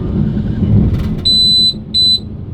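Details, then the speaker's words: American RV onboard generator, just collected after inspection and repair, running at a service station: steady even low drone, then two short high beeps from the gas detector powering up as the sockets come on; normal running. "we made it into a service station and this is what the generator sounds like"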